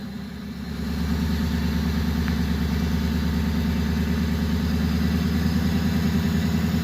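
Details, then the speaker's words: Warmed-up flatbed truck revved: the engine runs rough and lumpy with a misfire starting near 900 rpm, worst around 1000–1100 rpm. It is fine at normal idle and less bad above 2000 rpm. "So I'll rev it, guys, and then you'll start hearing the misfire and seeing the camera move."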